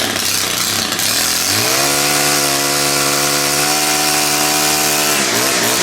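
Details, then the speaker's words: STIHL handheld gas-powered tool, grimy cold start: it catches readily and climbs to a steady, even high-pitched drone, then eases down. Normal, healthy running. "Those things always start nice like that."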